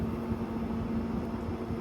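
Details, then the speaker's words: GE AHTE06AAQ1 6000 BTU modern window air conditioner running on low fan: soft, even hum with steady low tone and gentle airflow rush, no rattling or cycling; fairly quiet, pleasant, not intrusive; normal running. "Alright, the AC is running now. Now, this is actually a pretty quiet operation. For also on the low speed, it's not quiet, but it's a pretty pleasant sound. It's not really intrusive."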